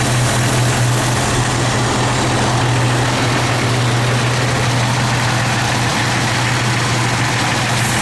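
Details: Jeep XJ petrol engine idling with a dull, uneven knock, hot or cold, gone under load; persisted after cracked exhaust manifold replacement and flex plate bolt tightening; source unclear.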